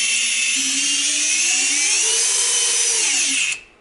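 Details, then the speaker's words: Emax 2205-2600KV brushless motor on 210mm quad, Littlebee BLHeli 20A ESC, DampenedLight enabled, bench spin without props: high whine wavers and dips before spin-down, yaw twitch; traced to over-tightened motor nuts. "it does happen on the bench now for some reason but it seems to be less bad than it used to be but this is really frustrating"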